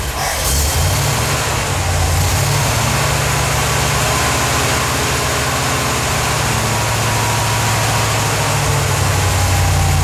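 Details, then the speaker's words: 1977 Corvette V8 just started after over 6 years, fresh super unleaded, leaking fuel filter gaskets snugged: lopes unevenly, beat wandering and not settling; rough idle, cause not found; fuel leak remains, owner suspects an old hose. "i know well it's not idling too good but all right awesomeness"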